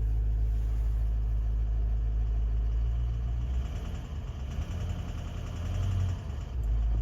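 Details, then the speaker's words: Toyota Land Cruiser 200 with 1VD-FTV diesel, in D and held under load at low rpm: a faint, fairly regular knock, about four a second, from a faulty injector; barely audible in neutral. "видите, в нагрузку сразу начинается, в принципе, небольшие обороты, как здесь. Ну, слышно характерный стук, цокот."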